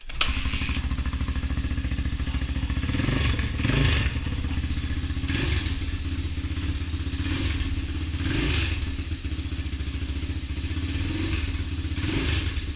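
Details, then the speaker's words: Honda XR200 single after rebuild with new transmission and other new parts, first run, low on fuel: steady thumping idle with crisp throttle blips that rise and settle cleanly; normal running, sounds healthy. "I'm not going to complain with the way that sounds. I believe we're about out of gas. Yeah, I believe I didn't put a whole lot of gas in there, but sounds pretty good to me."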